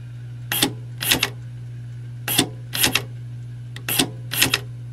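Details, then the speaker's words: Removed Honda electric trunk release latch on the bench, 12 V applied to the correct terminal: short whirring buzzes in pairs under half a second over a steady low hum as the small motor drives the latch; normal actuator operation. "that piece moves you can hear the little motor go and in fact let me see if there's a a draw on that when it hits a stop yeah you can keep that engaged and burn the motor up"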